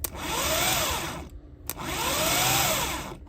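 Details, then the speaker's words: Starter motor bench test, pinion not ejected, contacts shorted to hear bearings and windings: two short runs of smooth rising then falling whine, no grinding or rattle; normal free spin, sounds reasonably fine. "We'll just shorten, yeah, we'll just make short from here to here, yeah, and this will give us the sound of the bearings. And if it has any winding noise or anything like that, it sounds reasonably fine."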